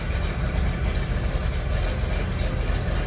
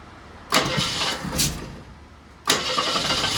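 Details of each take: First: Jeep CJ7 idling after an ignition fault involving the blue ignition wire up the steering column was fixed; the fault had left the starter solenoid without power. Deep, smooth, steady low rumble with no knocks or misses; running normally. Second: Jeep CJ7 started after the carburetor top was refitted. After two cranks it catches and races to high revs, hanging there before slowly dropping, because the accelerator pump was hanging up in the throttle assembly, which was later lubricated.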